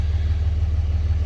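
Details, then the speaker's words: 2003–2007 Dodge Ram Cummins diesel, before fuel pressure relief valve replacement: steady, even low rumble with a smooth idle beat and no knocks or misses. The owner reports no running or power issues. "it runs fine I don't have any issues with it running or any power issues"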